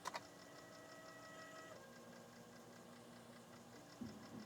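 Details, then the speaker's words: Untested dual-speed PC floppy drive, freshly cleaned: steady whirring spin with faint repeating ticks and sharp clicks at start and near the end, and the drive won't read the disc; owner suspects dirt on the heads. "oh I'm not sure this drive is working properly [Music] yeah I know I think there's a problem here it's not reading the disc either"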